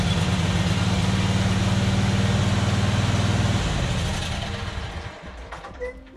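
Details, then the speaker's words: John Deere Z425 zero-turn mower after carburetor cleaning: started on full choke at low throttle, then choke off, steady even low thrum, running cleanly. "so it fired up on full choke uh ran a bit and then started choking out like it should as it warmed up and then I took the choke off and it started purring along pretty good"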